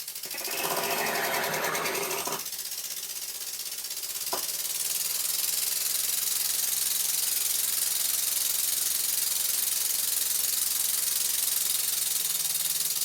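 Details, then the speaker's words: Birmingham Dribbler model engine on compressed air, running in freshly lapped port faces with plenty of oil: fast, even hissing exhaust beats about three a second, steady and unbroken; runs sweetly with plenty of power. "I run the engine slowly and fast with plenty of oil and as you can hear it sounds very sweet"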